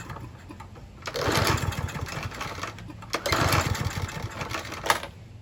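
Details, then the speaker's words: Troy-Bilt TB110 push mower, Briggs & Stratton 550 E engine, first run after refilling with 16 oz semi-synthetic oil and Seafoam-treated gas: tough to start, then a single-cylinder chatter whose loudness swells and sags every couple of seconds. Rough idle, not too bad, cause not confirmed. "All right, that was a little tough to start up initially, but once it was going, it ran pretty good. It was a little rough idling, but it wasn't too bad."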